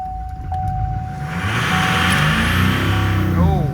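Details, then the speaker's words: LML Duramax diesel restarting, brake cleaner sprayed as starting fluid: after cranking it catches and revs climb sharply on their own, nearly running away; diesel smelt in engine bay. "Okay. Well, that almost got scary. You you you heard it almost want to run away. Like I smelt the diesel in the engine bay."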